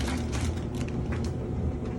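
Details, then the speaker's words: GE Profile dryer after replacing broken drum roller assemblies that caused loud knocking: steady low drum rumble with soft, even tumble and no knocking or thumping; now running quietly. "you know how I fixed it listen to it nice and quiet"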